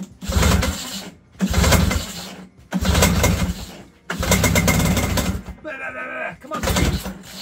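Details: Vintage 1970s Ski-Doo Alpine 399 snowmobile, cylinder one compression only about 60: four electric-start cranking bursts, low chugging that never catches; it turns over and smokes but won't start.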